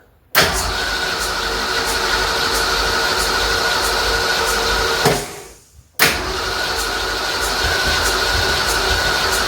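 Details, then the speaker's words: 1965 Ford Mustang, freshly rebuilt 289 V8 first start with fuel now arriving: starter cranks with an even rhythmic churn, stops, cranks again, never catching; owner says it needs more ignition timing advance. "[Music] Oh, it wants to run. We got fuel now. Need to add a little more timing."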